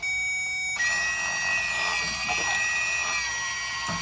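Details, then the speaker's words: 2016 Lexus RX350 rear brake caliper parking brake motor, powered directly with a power probe during pad replacement; high, steady electric whir for a few seconds as the motor winds in while a C-clamp pushes the piston back, normal operation. "You can hear the motor winding in."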